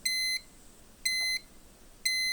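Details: Dometic 2652 RV refrigerator on a travel trailer: high, clean beeps about a third of a second long, repeating once a second, as the fridge signals its fault alarm again after attempted fixes.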